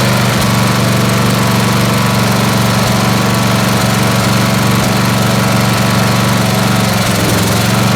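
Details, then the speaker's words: Snapper SR-Series 10HP Briggs & Stratton, stored 10 years, on an aftermarket Amazon carburetor being tuned. It runs but stumbles, missing from the exhaust side (thought lean) and backfiring with pops from the other side. "so you see what's happening right it's still it's still missing from the exhaust side and that's probably lean although i don't smell it as lean and then we get it back firing out of this side okay"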